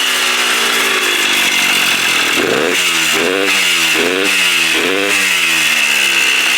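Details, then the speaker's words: 1984 Kawasaki KDX80 two-stroke during restoration: buzzes with a loud hiss, blips surge up and sag straight back, unable to rev freely; carburetor leaking at gasket, dripping fuel; owner suspects clogged muffler, unconfirmed; poor revving. "Yeah, it sounds like the muffler's clogged. The carburetor's leaking out of the gasket."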